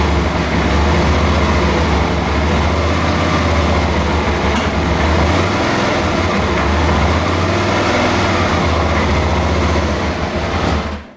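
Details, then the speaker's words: Suzuki DL650 V-twin after the intake manifold was replaced: still a deep, uneven idle with stumbles and pops back through the rear cylinder intake. It is probably running lean, not an air leak. "скорее всего конечно вот это вот прострел в задний мост задний эжектора он возникает из-за того что инжектор бедный"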